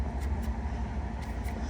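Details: Samsung top-control dryer after its badly clogged blower wheel was cleaned out (dryer sheet found caught earlier): steady low hum with even drum rhythm, no knocking or scraping; the rumbling is gone and the blower runs normally.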